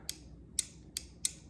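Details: New replacement washing machine lid switch pressed by hand before installation: five crisp, sharp clicks about three a second; it snaps properly, unlike the old broken switch that slid back without spring action and stopped the washer starting.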